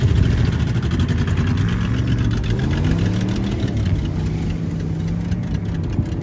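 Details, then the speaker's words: Toyota pickup engine after driving through a water hole and clearing water via the spark plug holes: rough, uneven idle with a dull repetitive knocking. One cylinder is noisy, and internal damage is suspected, not confirmed. "knock knock who's there the [Applause] engine oh that engine might be done kind of sounds like it hello that oh yeah I Dr knocking"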